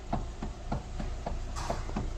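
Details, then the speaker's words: Kia Soul with dull, hollow thuds three to four times a second as the steering wheel is turned. The steering column coupling has disintegrated, and the fix is replacing it after removing the electric steering motor. "Şu an bu şekilde küt küt vuruyor >> arkadaşlar."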